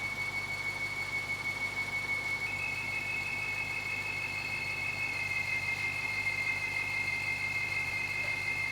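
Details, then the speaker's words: BMW 550i with N62 V8 at idle, belt refitted after the compressor was ruled out: steady high-pitched screech stepping up slightly in pitch. Stethoscope places it at the block. "so well you just saw me using my stethoscope right there on the engine and unfortunately it seems like that noise is coming from the block and that's kind of got me concerned"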